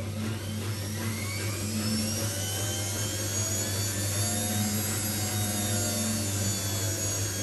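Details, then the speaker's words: Old Migatronic W1 1613 washing machine, first test wash after rebuild (new stainless drum spider, new bearings), unused about a year. Constant low hum with faint whirring whine as drum turns; owner suspects motor may be going, cause unconfirmed. "hear that noise there it's up one I'm on maybe the motor be are going maybe know could be this is quite an old machine"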